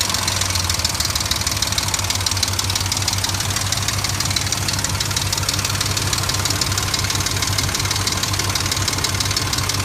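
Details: 2003 Dodge Ram 1500 4.7 V8 idling with a steady, rapid knock, about three per second, over a low rumble; some mechanics blame the timing chain, others recommend a replacement engine. Cause not confirmed.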